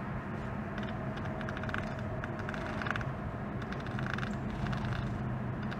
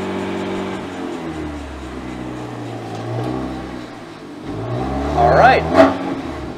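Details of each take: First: BMW M3 Competition on a road drive: an irregular dry scratching over the road rumble as the shaft turns. A failed parking brake cable clip let the parking brake cables touch the driveshaft. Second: BMW M3 Competition driving in third gear after wheel bearing replacement: smooth drivetrain hum rising and falling with revs, no ticking left, faint handbrake drag needing adjustment; normal drivetrain running.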